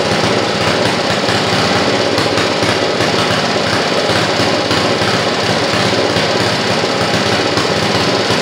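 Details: Rototiller small engine that hasn't run in a while, after carburetor cover and governor rod refit; the spark plug boot still needs replacing. Ragged, lumpy, uneven clatter. Owner suspects leftover bad gas, not confirmed, and plans to flush the carb and tank.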